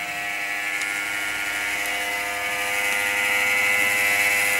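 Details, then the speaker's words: Compaq Presario SR5123WM desktop at power-on: loud raspy high whir with fast steady flutter; grinding fan, probably case or CPU fan, not thought to be the power supply. "I don't know if that's the CPU fan or the case fan. Don't think it's power supply."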